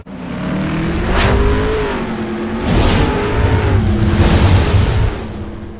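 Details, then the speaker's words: 2004 Dodge Ram 1500 with 5.7L Hemi, just after fuel pump replacement: deep, steady V8 rumble swelling smoothly with a couple of revs and settling back, no stumble; normal running. "But listen to that thing rumble."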